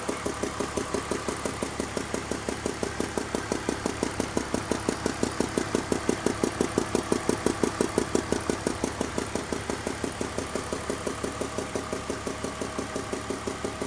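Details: 2002 BMW 320i (E46) idling: quick, steady, light metallic ticking over the smooth running note, seeming to come from cylinders 3 and 4; owner asks whether lifters are the cause, not confirmed.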